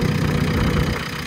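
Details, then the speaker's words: JCB diesel just started after an earlier no-start: deep, steady diesel clatter at an even idle, no misfire or knock. "and then it started oh come on the engine yeah oh that's good anyway at least you started"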